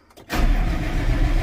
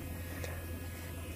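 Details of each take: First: Tractor after fuel filter change, cranked after about 20 seconds of priming: starter churns about two seconds without catching, then two high beeps; air in fuel system, mechanic advises loosening a bleed screw. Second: Gator fuel system during a fuel filter change; a quiet, constant low electric buzz with bubbling as the pump primes and fills the new filters. Normal fuel priming pump buzz.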